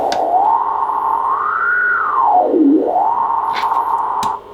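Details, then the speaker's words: ICOM IC-751A shortwave transceiver, probably late 80s or early 90s, 100 W, general-coverage receiver: receive audio is distorted on LSB and USB at 7 MHz and below but fine at 10 MHz and up. A sideband tone swoops through gritty, distorted hiss, caused by bad trimmer caps in the VCOs. "LSP it is bad let's go to the USB same problem so we can see it 10 megahertz and higher it's okay seven megahertz is bad"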